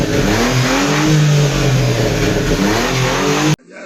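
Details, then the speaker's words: Daewoo Matiz before muffler welding repair: loud, raspy blat rising and falling with revs, much louder than a sealed system; holed, leaking muffler. "Bitta zavod qilib ko'rsak, eshitinglar-da sizlar ovozini, purillaganini."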